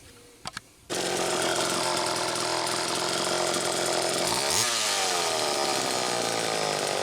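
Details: Chainsaw test run after fuel tank mounting repair (screw pushing tank into crankcase to take up slop), muffler cap a little loose: steady high two-stroke buzz dipping and climbing back cleanly as it cuts; runs smooth and strong, normal.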